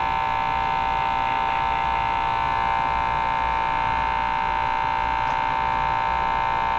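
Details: 1935 Rogers 7R622 tube radio, at power-on: a loud, steady hum with an even throb and no signal over it, 95 volts measured. The hum stopped with all tubes except the output tube pulled, so two tubes are suspected; replacing them is next.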